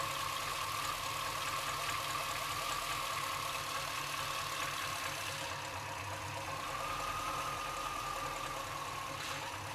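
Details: Chevrolet C-1500 Scottsdale with 350 TBI V8: uneven idle with irregular pulsing and a steady high whistle over it; idle sometimes drops so low the engine dies, cause unknown.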